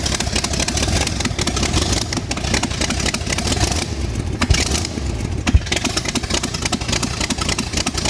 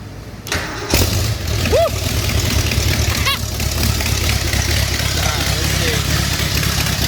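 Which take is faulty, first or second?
second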